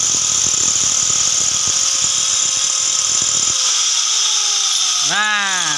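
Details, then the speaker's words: Angle grinder after a repair for overheating (already serviced and the coil replaced, so the armature was ground smaller), reassembled and retested: steady high whine, winds down and spins back up; sounds normal, but being used it isn't as smooth as new. "ini Lur suaranya sudah seperti biasa nah tetapi Ya namanya sudah dipakai Lor tidak bisa halus seperti baru Lur"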